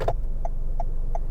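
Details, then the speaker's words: 2022 Toyota Camry, 14,000 miles, after module replacement: crisp even turn signal flasher clicks about three a second over a low hum; signals that previously didn't work now work normally, though cluster warnings remain. "well what about the turn signals the turn signals wouldn't work well they actually work"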